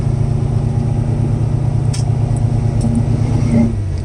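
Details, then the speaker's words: 1979 Camaro V8 converted back from EFI to carburetor, first start and run after the retrofit, fuel pressure 7 psi, no leaks: deep, even rumble with no knocks or misses, and the fuel pump is not working hard. Normal running. "sounds good fuel pump too it doesn't sound like it's working too too hard"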